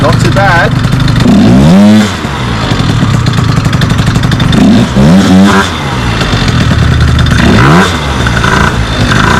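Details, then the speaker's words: Small two-stroke scooter with the CVT cover off, started on the starter motor after the owner checked for CVT noise and possibly worn orange clutch springs; pops into a quick idle, three clean throttle blips, no rattle or grinding from the drive, normal running. "I got to say I love this little [Music] bike it's so small so unassuming but it absolutely rips plenty of punch"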